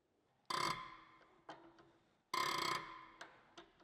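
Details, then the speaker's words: Tractor injector nozzle after replacing the nozzle tip, on a pressure tester at about 120 bar: two sharp bursts of hissing chatter about two seconds apart, fading with small pops; a clean mist spray and the correct creaking sound. "And the sound is completely different now. The creaking sound, that's how it's supposed to sound."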